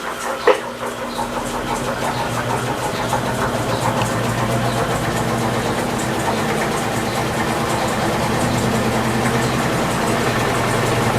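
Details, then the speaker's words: Electrolux LT15F washer spinning an unbalanced load after foam was fitted between the cabinet and the drain hose, which had been slapping: steady rising hum and even whir without banging; spin noise significantly reduced. "olha olha ela diminuiu significativamente hein minha gente"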